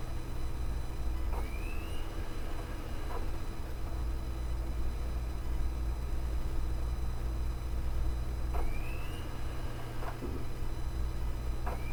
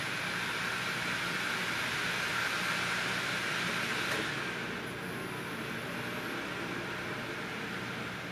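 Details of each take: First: Desktop Asus optical drive in a tower writing a DVD-RAM disc: low steady hum with a rising whir every few seconds as the disc spins up and settles, the same cycling as a laptop drive; normal spindle speed cycling for this format. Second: Opened-up optical drive writing a DVD-RAM disc: high steady whirring whine winds down, then spins back up repeatedly. Speaker blames the drive's firmware for writing at max speed without accounting for how DVD-RAM works.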